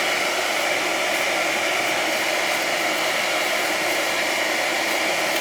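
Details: Outdoor power venter on a gas boiler in a 20-year-old house, running at about 9°F after a reported rattling noise. A steady airy whoosh with no squeal or rattle is heard; it sounds fine but may just need a little oil.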